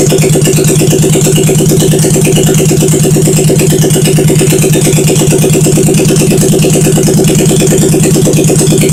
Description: Firing up my 1971 SL350 after engine rebuild